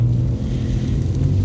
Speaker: it's running nice and really happy with it